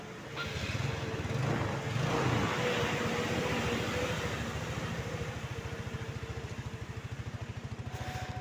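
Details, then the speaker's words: Yamaha Mio scooter after fixing a stuck brake switch that had been draining the battery: starter spins the engine briskly at about three and a half beats a second, no drag or slowing; battery normal, healthy light cranking. "है, दोस्तों, बैटरी सामान्य है। हाँ, स्टार्टर हल्का है"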